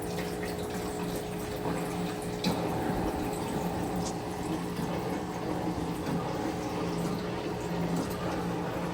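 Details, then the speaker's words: Motel ice machine with bypassed toggle switch, after cycling the curtain: water splashing into trough over a steady unfaltering pump hum while filling for pre-chill; water pump and dump valve working normally. "Sounds like the water pump works. Dump valve works."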